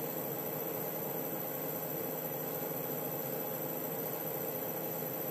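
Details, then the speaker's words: Tormach PCNC1100 mill after spindle replacement with new bearings: smooth steady whirring hum with a faint even high whine, no knocking or roughness, sounding much better than before; normal spindle running. "but all I know is this sounds way better"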